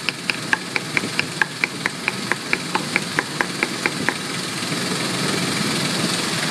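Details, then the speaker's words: 2001 Ford Explorer 4.0L with codes P0113 and a MAF circuit-low code: steady idle with light valve chatter that fades, never skipping a beat even when the MAF connector is wiggled. "I mean, you can hear it. It's not skipping a beat."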